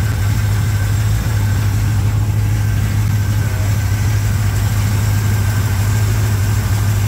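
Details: 1987 Chevrolet K10 V8 at first start after blown head gasket replacement, warming up before test drive; deep, smooth, even burble at steady idle with no ticks, knocks or misses; running healthy.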